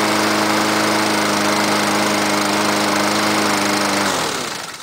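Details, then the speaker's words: 2006 MTD Gold mower with a Honda GCV160 engine, cold start at 15°C on choke. A steady, even drone for about four seconds, then it winds down cleanly at shutoff: healthy running. "no way I love Honda what a great motor"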